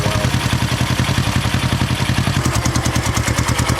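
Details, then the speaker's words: 1970 Honda SL350 twin, rough lumpy idle stumbling between beats; owner suspects lean condition from carburetor intake boots not sealing, left carb had air gap and sputtered; unconfirmed. "but I'm guessing it probably has some kind of lean condition on the carburetor since the boots aren't SE appear to be sealing that"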